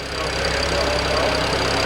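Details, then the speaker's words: BMW E92 335i with a swapped-in engine from a parts car, first start after lapping all 24 valves to cure low compression from a cylinder 4 exhaust valve: it starts quickly and settles into a steady, even idle with no squeal, and compression sounds good. "as far as anything major the engine didn't squeal sounds like it's got compression it starts pretty quickly"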